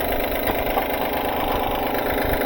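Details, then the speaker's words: 2012 Honda Pilot at start-up idle: a quick, uneven slapping rattle as the loose timing belt flaps because of a defective timing belt tensioner; timing belt slap from the failed tensioner. "See how it's clapping? Clapping right there. So, it's clapping due to the loose uh due to the defective timing belt tensioner. So, that's why that timing belt is flapping causing that rattling noise."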